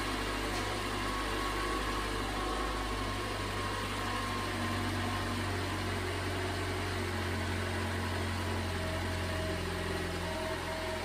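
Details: 2011 Toyota Camry 2.5L four-cylinder, first start after an engine swap (the old engine had bad compression), starting first try: steady even idle with smooth hum, no knocks, misses or hunting; normal idle.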